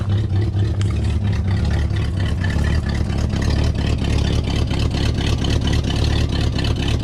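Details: 1970 Pontiac Tempest V8 just revived with a temporary rigged fuel line and hot-wired coil: deep, lumpy idle with an uneven loping beat and no smooth settle, not the smoothest but running; rough idle from retarded ignition timing.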